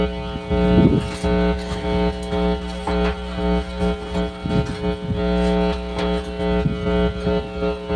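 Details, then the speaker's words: DV DB Audio Umac 1522 BT amplifier under repair, powered on with speaker connected: a constant low buzz sits under the music and never changes with it; hum persists even while playing, from a bad ground. "so kahit tumutugtog yan magha-hamming yan kahit may tugtog."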